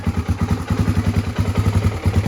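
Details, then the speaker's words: 1986 Honda ATC350X single-cylinder three-wheeler just after kick start, before raising idle: slow, lumpy thump at about eight to nine beats a second, lazy and near stalling; idle too low, to be turned up. "I think the idle's a little bit low. Yeah, I think we're gonna put up the idle a little bit."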